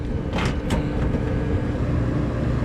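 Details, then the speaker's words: HVAC unit fan motor after separating stuck gasket material (call involved a tripped 3 A fuse, no AC): smooth, steady low hum with no rubbing, scraping or rattle; fan running normally. "I'm liking that a lot better yeah I don't know if it was picking up on the video that noise but it sounds like a regular old fan motor now"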